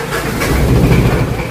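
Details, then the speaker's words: Diesel car started right after battery maintenance and testing (battery indicator shows good), glow plugs allowed to heat first; catches on the first crank and settles into a steady, even low rumble: normal start and healthy idle. "Oke ya friend ya, starternya langsung top chair friend. Sekali starter langsung hidup dia."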